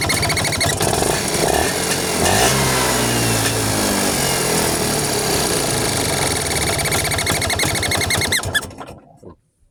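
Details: Vespa two-stroke engine at idle, carburetor suspected: a busy metallic ticking, ringing and thin chirping over the engine beat, described as odd but harmless, then it shuts off; the cause is unclear.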